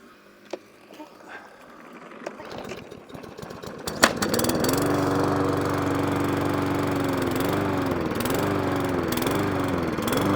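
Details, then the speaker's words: Lawnmower engine restarted after a carburetor clean with the HT lead refitted: it catches and stays running, but pitch rises and falls every second or so, hunting and surging at idle; cause not confirmed, may need another carburetor clean or priming. "So, we're getting there. It's now staying running, but I've got a hunt and surge."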